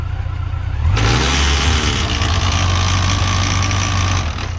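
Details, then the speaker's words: Yamaha FJR1300 AE with electric shift, bike stationary, tire not spinning, in first gear with a little throttle: idle then blip bringing a loud, rough transmission noise over the engine; it doesn't do this in fifth gear. "pretty loud noise but it doesn't do it in fifth gear"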